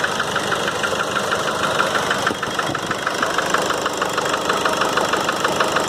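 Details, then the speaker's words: 2008 Nissan Frontier 2.5 diesel, 187,886 km, slow to start: sharp regular knock about three times a second at idle, hammering hard when throttle is blipped and released; head gasket burnt through between cylinders. "ela lo quando se acelera e solta ela bate muito forte ele fica mesmo barulho"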